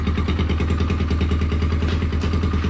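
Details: Motorcycle after a major service with the carburettor and carbon cleaned out, started in the morning: a steady, even single-cylinder thump at idle with a regular beat, no stumbling or extra clatter. It idles cleanly and normally.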